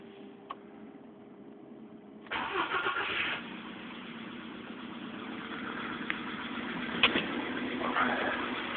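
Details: VW Polo Sedan engine before piston group replacement, starting and settling into idle: a light, steady tapping of about three per second. This is engine knock from the worn piston group.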